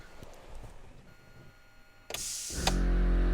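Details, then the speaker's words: GQ Patrol ARB air compressor after tightening a loose part and resealing: quiet, then sharp air hiss and click as it runs steadily; locker actuator engages cleanly and holds pressure, no noticeable leak. "Yep, that works. Sweet. I think I'm happy with that."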